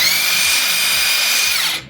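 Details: Makita 40V cordless 3/4in brushless impact wrench after service (impact mechanism cleaned, regreased, new seal; earlier motor roar suggesting shaft play): high even motor whine spinning down cleanly, no rattle; runs smoothly.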